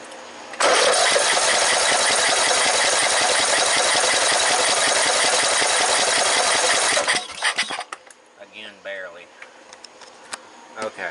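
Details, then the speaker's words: Briggs & Stratton 14.5 riding tractor that died in the yard, after plug cleaning: steady fast cranking for about six seconds with faint weak pops, never catching; carburetor still trying, fuel delivery issue suspected. "I know it's not in the carburetor because apparently the carburetor's still trying to work you can hear it still trying to run this that and another"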